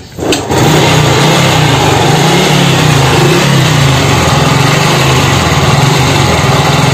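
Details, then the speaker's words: Honda Revo Fit fuel-injected motorcycle before repair: the engine catches and runs rough and lumpy with a wavering, uneven beat and keeps stalling; worn camshaft bearings, with the throttle body idle air adjuster also missing. "oke suara kasar terus motore juga mati-matian"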